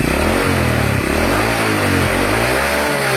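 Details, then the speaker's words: Honda Supra 100 (Supra X, manual clutch) engine revved hard sounds harsh and clattery, with oil coming from the spark plug hole and white exhaust smoke when revved; combustion chamber found wet, rough engine from oil starvation. "Nah suaranya Tuh kasar seperti ini dan juga keluar oli dari lubang businya dan juga di bagian knalpotnya itu keluar Asa putih ketika Dikas seperti"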